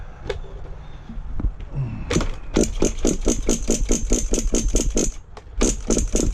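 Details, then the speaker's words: HPI Savage nitro monster truck in cold weather, glow plug on: quick, even cranking bursts about twice a second that never catch; won't start because the fuel tank is empty. "No fuel in it. I can hear it coming up though. Ain't got no gas in it."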